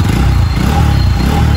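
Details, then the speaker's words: Bajaj NS200 BS3 motorcycle after engine repair for piston trouble. Steady, even low thrum at idle with no knocking or rattle. The engine sounds healthy. "कोई आवाज नहीं है भाई बाकी कस्ट सार यहां पे भाई को दिखने के लिए वीडि बना रहे हैं भाई साउंड कैसा आ रहा है बढ़िया एकदम मस्त भाई एकदम मस्त साउंड आ रहा है"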